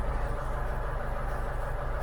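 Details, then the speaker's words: Engine tested with a 1963 Crypton Motorscope, cylinder three knocked out by the tester: uneven, lumpy idle with a hollow missing beat as the engine runs on three cylinders. "but you can knock a cylinder out so take out cylinder free you can hear that's running out on three cylinders and you lose the trace"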